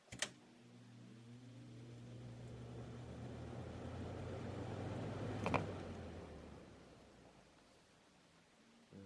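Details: 1993-94 Galaxy box fan with a 3-speed metal Marco motor rated 2.2 A, running on medium, perhaps needing more oil: a steady low motor hum with a soft, even whir, a passing car swelling and fading behind it; running smoothly.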